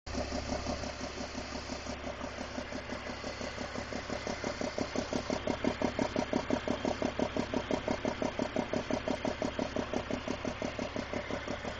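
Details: 2001 BMW 330i (E46, M54) idling with suspected exhaust leak: sharp regular ticking puff about three times a second; cause was loose spark plugs leaking compression.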